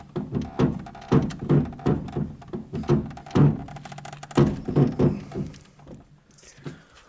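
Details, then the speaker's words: VAZ 2110 steering rack: irregular dull thunks, creaks and crunches, especially when turning. The owner suspects the crunch comes from under the rack boot and plans to pack in grease. "всем привет сегодня будем устранять шум на вас 20 действует такой шум не знаю как это назвать рейка не рейка рейка рулевая больше [музыка] особенно при повороте"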